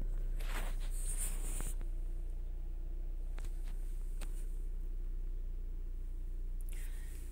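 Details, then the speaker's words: Chrysler/Dodge/Jeep-line engine after an intake gasket vacuum-leak repair (code P2173, confirmed with spray). Cold idle just under 1000 rpm, settling toward about 750 as it reaches temperature: a smooth, steady low hum with no rise or hunting. "está llegando a su temperatura a sus rpm normales debe estar como entre 750 aproximadamente"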